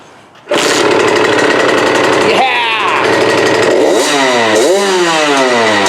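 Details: KTM 65 SX two-stroke after a carb clean and tune (dirty carb, main jet had fallen into the bowl, new spark plug), choke off, after sitting all winter. Crisp note blipping cleanly up and down without bogging or spitting; runs strong and healthy.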